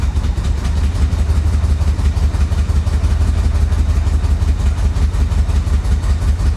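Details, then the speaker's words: 1985 Chevy Corvette recovered from a Florida swamp, first revival running off throttle: low, lumpy idle pulsing unevenly about three times a second, nearly stalling; owner suspects timing or fuel. "yeah that sounds like a timing issue doesn't it i don't know could be fuel could be timing"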